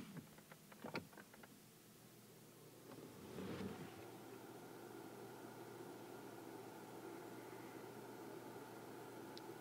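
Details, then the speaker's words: Audio booth ventilation fan recorded on a Rode NTG4+ microphone into a Canon 80D, low-pass filter on. A few faint knocks, then a steady even airy hum with no rattle or rubbing: ventilation fan running normally. "is a test of the ntg 4 plus with the audio booth ventilation on and the low-pass filter on"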